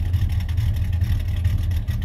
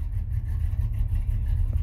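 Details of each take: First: 1991 Chevy Silverado C1500 350 V8 with Summit cam and 650 double-pumper carburetor, idling around 600–650 rpm: deep lumpy rumble with a loping beat, steady and smooth, no popping; normal cammed idle. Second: 1991 Chevy Silverado C1500, rebuilt 350 with Summit cam, newly fitted carburetor without any choke, Dynomax Super Turbo mufflers and X-pipe, cold start: deep V8 idle with a slightly uneven loping beat; rough cold-start idle from missing choke.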